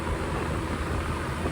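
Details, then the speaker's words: Machine-shop office split-system condenser back running after a thunderstorm-fried thermostat was jumped out: steady, even low rumble and airy fan rush, no knocks or rattles; normal operation. "Okay, so we just got this unit back up and running. This is going to start sweating like a beer can on a hot day."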